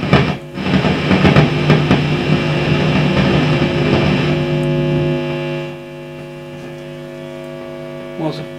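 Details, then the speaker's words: Fender Vibro King guitar amp with speaker turned up, nothing played: loud steady mains hum with a stack of overtones, traced to the reverb not being connected; the main roaring fault was later found to be a small brown component. "hum there which has come from nowhere might be the reverb actually let me just um yes that's that's the reverb not connected right"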